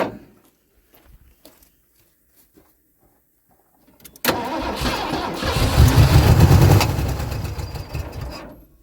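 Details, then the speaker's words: Ford F-150 V8 farm truck, sitting over 10 years in a field, new battery, cranking slowly (corrosion suspected): cranks, catches on starting spray in the intake, runs about four seconds and fades out; fuel system disconnected; likely still a good motor. "she's alive she's alive okay so as you guys can tell it did pop over which is good that means it it's still probably a good motor"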